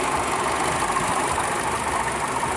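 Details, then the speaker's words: Buick Encore Ecotec 1.4L after valve cover replacement for a bad PCV valve: steady even idle with smooth hum and AC fan whir, no PCV whine or wheeze; engine sounds healthy. "Alright, car's running. The needle is idling pretty steady. I'm going to inspect for any leaks and use my hand to kind of feel around. I don't hear the whining and the wheezing from the PCV valve."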